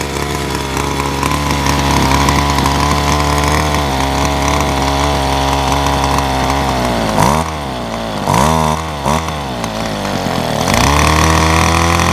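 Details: Ryobi SS30 30cc straight-shaft two-stroke trimmer, after fixing a primer bulb that would not fill with gas: steady buzz, then three quick blips with a clean return to high speed; it runs and revs freely after the fix.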